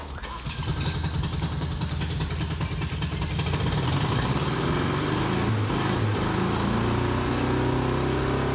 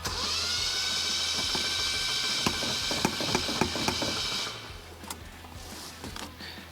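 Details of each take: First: Rusty Datsun with a leaking head gasket, sealed using Vegemite and bacon, fires and settles into a steady, even idle with no knock or misfire; normal running, though an exhaust leak is smelled. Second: Rusty Datsun after head gasket reassembly with bread and Vegemite, no coolant, head bolts not torqued to spec: starter spins fast with an even light whir and no compression chuffing; engine has zero compression.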